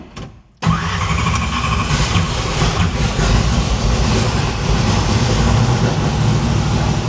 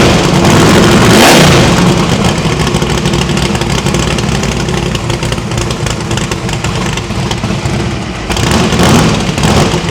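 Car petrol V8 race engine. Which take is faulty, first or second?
first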